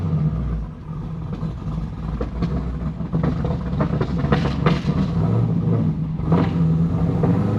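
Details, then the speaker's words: 2010 Camaro SS M6, Edelbrock TVS supercharger at 10 psi, Comp cam, LT headers, straight-piped exhaust, poorly set ZL1-based tune running on MAF only with audible spark knock, driven: revs sag back slowly and unevenly off throttle; throttle hang from bad tune. "Definitely going to fix that. That is absolutely terrible. And it's throttle hanging really bad, too."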